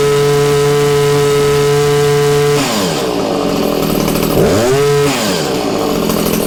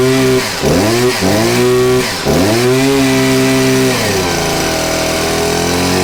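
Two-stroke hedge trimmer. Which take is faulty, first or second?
second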